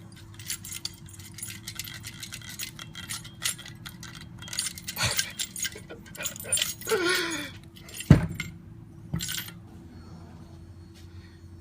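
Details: 2008 Dodge Caliber 2.0 recently replaced alternator, removed after a loud noise: loose metallic rattling in irregular bursts as the old unit is shaken by hand, unlike the quiet new one; internal parts loose, alternator failed.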